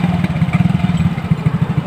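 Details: Yamaha Mio J small single after repair of a seized oil-ring expander that caused smoking, cleaned and reassembled, microphone at the exhaust: steady, quick, even pulsing with no misses or stumbles; healthy running.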